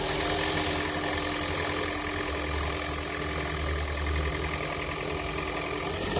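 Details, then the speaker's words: Engine at idle jerks with an intermittent knock that comes and goes; owner says it occurred while accelerating lightly after a traffic light and the engine feels like it may stall; cause unknown. "начиная дергаться двигатель и шум исходит вон окутала шон периодичны то есть не постоянно"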